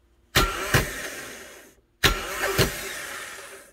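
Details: Honda Fit (2009-on) starter 31200-RB1-013 run on the bench with jumper leads: two bursts, each with a sharp double clack and a spin-down whir. A worn, too-short bendix bushing causes screeching on cold starts; the fix is a new bushing.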